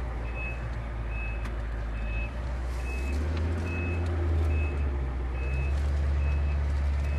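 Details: 1990 Ford E-350 Goshen bus with 7.3L diesel, backing up: steady high beep about every 0.8 seconds over low idling diesel rumble; reverse alarm sounding normally.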